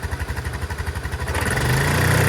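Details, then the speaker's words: Chinese 150cc TNG Verona scooter found on the street, first start without a carburetor clean: the small single chugs along at an even idle, then picks up cleanly on throttle; normal idle. "Is that idling? Whatever it is, it sounds great. If that's just idle, you know what I mean?"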